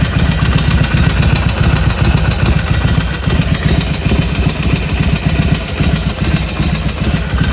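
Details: 2020 Harley-Davidson Iron 1200, 6000 km, warm idle: loping V-twin idle with uneven knocking thump on each beat that persists after warm-up; abnormal noise, source not identified.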